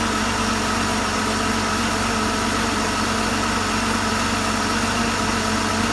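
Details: Porsche flat-six engine after full rebuild (bottom end reassembled after broken valve spring debris, collapsed chain tensioner, cam and rocker wear), first test run on an engine stand: steady, even idle, smooth hum, no knocks, misses or ticks; healthy.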